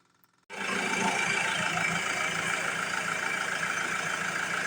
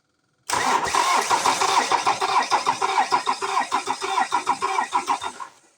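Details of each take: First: 2007 Ford Transit Mk7 2.2 TDCi with stalling and rough idle, after the fuel system is bled via the clicking lift pump: silence, then the diesel catches within a moment into a steady, even clatter. A normal prompt start. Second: 2007 Ford Transit Mk7 2.2 TDCi diesel after injector replacement, before coding and fuel relearn: cranks and catches, then lumpy uneven pulses about three a second, sagging and stalling within five seconds.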